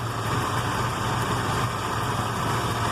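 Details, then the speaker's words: Ford 460 V8 after Holley 4180 carburetor rebuild, choke fully off: low, lumpy, chuffing idle that never settles, running far too rich despite mixture already halved; idle mixture screws still to be adjusted. "I'm just not it's just too rich there's just way too rich which the funny thing is this is adjusted to half the amount of fuel that it was adjusted to when I got it"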